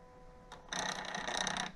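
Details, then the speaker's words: Daikin mini split indoor unit, door off: a second of rough rattling chatter from the louver/door track drive as the reducer gearbox gears, stripped by the door's weight, slip; unit then shuts down, gearbox assembly to be replaced. "uh you hear it those are the gears slipping"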